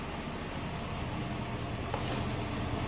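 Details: Plymouth Duster, Mopar Slant 6 225, just started cold on the key after rewiring: ticking over steadily under background hiss, no stumbles or knocks; normal idle.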